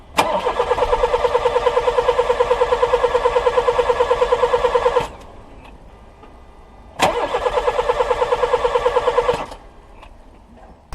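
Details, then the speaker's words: Older VW Polo 1.4 petrol that won't start: two cranking bursts of about five and two and a half seconds, starter chugging evenly but never catching; spark to be checked next, cause not yet found. "Ben comme vous le constatez, hein, le véhicule ne démarre pas du tout, donc on va voir pourquoi. Bon ben ça veut rien donner du tout quoi."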